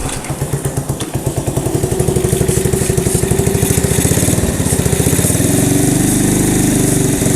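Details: 1985 Honda ATC110 three-wheeler abandoned in a field, throttle nearly seized, brake fluid sprayed down intake, on choke: ragged sputtering that stumbles then catches into an uneven run; hard start, owner suspects gummed-up carb.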